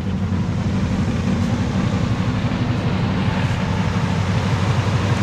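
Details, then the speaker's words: 1965 Mercury Montclair 390 V8 on cold start, revved a little: loud, coarse, uneven low rumble with raspy unmuffled edge; worn-out mufflers let the exhaust roar through, horrible exhaust. "the mufflers are rough but she's running she's running horribly but she's running"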